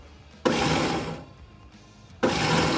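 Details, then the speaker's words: 1975 VW Shorty bus, sat over 20 years: starter jumped directly across the solenoid gives two short bursts of high free-spinning whir with no engine turnover; starter spinning but not engaging flywheel, wiring issue suspected. "ain't turning nothing over though. No. It's not engaging."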